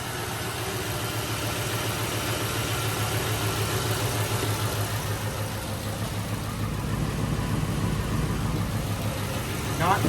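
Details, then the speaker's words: 2005 Mercury Grand Marquis 4.6 modular V8 idling smoothly with no knocking, rattling or chirping after the failed timing chain tensioners were replaced. Timing chain rattle is gone. An exhaust leak is present, and it smokes from sitting and running rich. "Timing chain rattle is gone. No more noise left."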